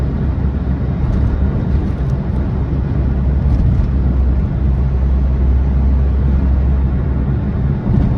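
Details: Smart Fortwo accelerating: a heavy, steady low drone with a deep rumble and no clear knock. The noise under acceleration is unidentified; cause unknown.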